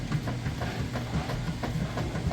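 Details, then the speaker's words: Kenmore direct-drive top-load washer, large load, agitate set to maximum, tub filled with water and agitating: an even, repeating low swish and slosh over a soft motor hum; agitation sounds normal. "All right, we're filled all the way up with water, and it is now agitating."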